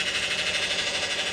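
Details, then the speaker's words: Vehicle with 3.6 engine and presumed 62TE automatic transmission: steady high whine over a pulsing rush, getting louder and louder while running; dipstick shows fluid low and burnt, indicating internal transmission problems. "it's low i just took a wheel for that guys that fluid is burnt guys we have internal transmission problems all right that is not good and that doesn't sound good at all it can't do nothing to get louder and louder"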